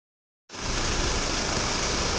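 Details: 2014 Audi Q5 after intake carbon cleaning and oil and filter change, which fixed random misfires that occurred on cold mornings: smooth, even idle with a steady hiss and no stumble. Normal idle.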